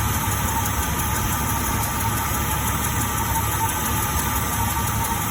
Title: 2000 Jeep Cherokee XJ ticking sound.